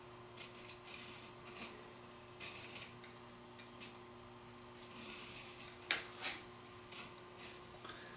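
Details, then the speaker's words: Variac with wiper arcing on its coil after earlier cleaning and wiper-tension fix: faint irregular crackling ticks over quiet fan hum, sharper burst as it is adjusted; internal arcing makes output voltage fluctuate, to be cleaned with DeoxIT. "If you guys listen closely, you can probably hear this thing sparking away inside, especially as I adjust it."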